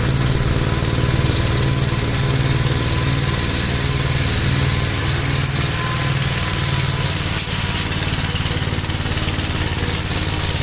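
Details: Gravely tractor with brush hog mulcher deck, PTO engaged after remounting deck and adjusting clutch: steady, even engine drone with blade spinning under load, no knocking or vibration rattle; runs smooth, no vibration. Normal running.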